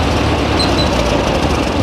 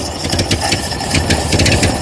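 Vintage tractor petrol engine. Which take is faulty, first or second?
second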